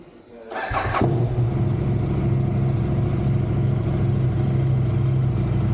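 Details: KTM 790 Adventure R 2020, cool engine, third start attempt, unknown history, last serviced 2022, under 95 miles since last MOT: short crank, catches into slightly uneven lumpy idle; hard cold start, cause unknown.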